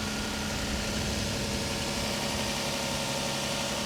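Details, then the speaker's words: Copart auction car in Tulsa, engine idling with AC on, smoke smell of unclear source; quiet even idle hum, no knocks or ticks, engine sounds okay but very dirty, timing belt change unknown; normal idle. "but the engine sounds okay it's just really really dirty so I don't know if you've changed the timing belt"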